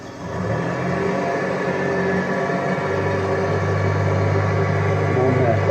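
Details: 2003-2007 Honda Accord, in Drive with brake held, revved to about 1,500 rpm: uneven, stumbling low drone from multiple misfires caused by clogged EGR ports; cleaning the ports fixed it.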